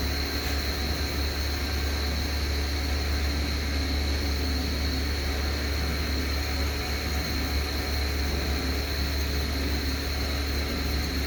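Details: Airflow CE200 style 5 fan with worn bearings, owner reckons it is about to fail: constant rushing roar with a steady high whine on top, fan bearing noise.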